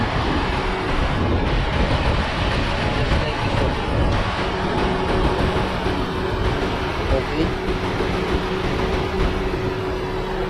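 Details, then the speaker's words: Radiator cooling fan running on high speed after fixing a faulty five-pin relay, the root cause of engine overheating at idle; loud, steady rushing roar with a faint hum, no chatter or cycling, normal high-speed operation. "you can hear the the sound a loud sound from the j turban model that is now working on fan height"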